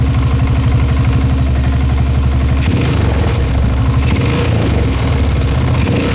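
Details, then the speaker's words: Bottom-end knock at idle on a friend's 1987 Yamaha TT600 single, not run in 20 years, after carb rebuild, oil change and valve adjustment: starts and runs fine but a loud, deep, steady thud on every beat; bottom end needs a rebuild. "Starts fine, runs fine, but it's got a very nasty knock in that bottom end. I believe it's knocking big time."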